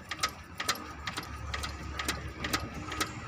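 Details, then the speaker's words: 2016 Maruti Swift diesel with long-crank late starting, engine off: crankshaft rocked by hand gives sharp metallic clacks about twice a second. Timing chain over-loose and timing apparently about two teeth off, causing the late start; chain to be replaced. "அதாவது இது chain over loose ஆனால் இந்த மாதிரி complaint உங்களுக்கு timing மாறுறது வரும்."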